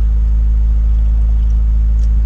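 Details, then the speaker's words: 1990 Honda Civic after alternator replacement gives a deep, even idle while warming up, with no alternator whine; the charging system now sounds normal. "it sounds good sweet and no more whining from the alternator"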